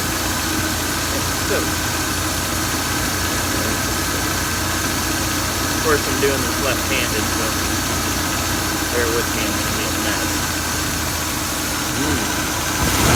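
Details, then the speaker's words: 1966 Oldsmobile Ninety-Eight V8 after idle speed and mixture screw adjustment: steady, even, low settled idle with no hunting or misses, no longer screaming at high idle as before; normal idle. "she seems way happier very docile on the RPM at idle not screaming like she was before"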